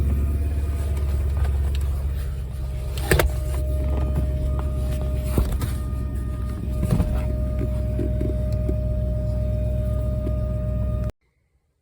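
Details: BMW E38 740i fuel pump squealing steadily over the engine rumble, straining at maximum power because a clogged fuel filter restricts its fuel supply; left unchecked this can damage the pump and fuel system. Fuel pump squeal from clogged fuel filter.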